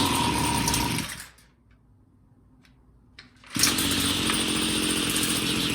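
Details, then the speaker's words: Homelite two-stroke weed eater that would not start, with dirt found in the carburetor; it revs, then falls almost silent before picking back up. It runs rich and is being leaned out on the low/high adjustments, won't hold speed, and needs a new carburetor. "it doesn't want to start carburetors dirty they're painting that you know what all right sounds like it's a little rich we're gonna lean it out a little"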